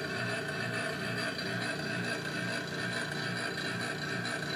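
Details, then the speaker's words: Taco wet-rotor hot water recirculation pump became noisy after a new check valve and water heater were installed, giving a loud buzzing hum with a rattling churn; it was running dry with air and debris, and flushing the suction line quieted it. "And it made no sense to me that a pump that was running perfectly fine would not be working properly after a new check valve was installed and after a new water heater."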